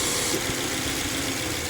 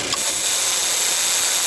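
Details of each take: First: Subaru XV 2.0i after repair of noisy AC compressor (clutch set replaced, compressor oil changed, system flushed), idling parked in sun, cabin 6°C vs 39°C outside: steady idle with airy fan rush, no compressor groan or rattle; normal AC compressor operation. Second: Van (LT 2.0) with noisy AC compressor, AC switched on at idle: compressor quiet with AC off, loud hissing whir with thin high whine once AC engages; noisy AC compressor.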